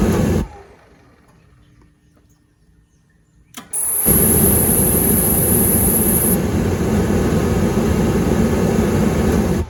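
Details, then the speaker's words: Hot water pressure washer burner: a quiet pause, then a soft whoomp as it lights and settles into an even roar under a brief igniter hiss. The igniter shuts off correctly; ignition is normal. "That's the way it's supposed to work. And if you can hear it, the igniter actually had shut down when it didn't light, and then it shut down again after it lit. So everything's working exactly the way it's supposed to."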